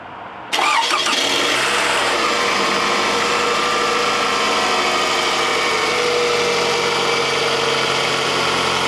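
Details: Car back from costly repair, cold start via remote start after sitting two days: catches at once and settles into a steady, even idle with no knocks or misses, no check engine light; normal cold start and idle.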